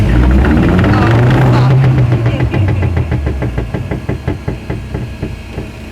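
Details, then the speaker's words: VW Polo 6n2 off the road for 6 years: on a shakedown drive, a horrendous, heavy regular knocking, about four a second, from underneath as the rotating prop shaft balance weight struck the top of the subframe. "so on a Shakedown we had a horrendous noise from underneath the vehicle and as you can see it was the knocking as the balance weight was rotating hitting the top of the subframe"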